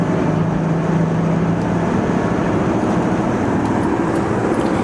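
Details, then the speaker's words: 1996 Acura TL 3.2 with 4-speed automatic on the interstate, tires recently rotated: steady low droning tire roar with no engine rhythm standing out; worn, noisy tires suspected, not confirmed. "And these are the speeds you're really going to hear that tire roar."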